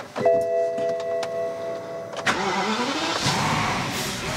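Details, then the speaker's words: BMW 760Li V12 after replacing spark plugs, ignition coils, crankcase breathers and hoses, now with original BMW crankcase breather valves fitted, air boxes off: engine starts quickly and settles into a smooth even idle, the high-pitched squeal gone. "we don't have that high pitching squeal now let's get the air boxes back on and uh and then just confirm that the noise is fully gone"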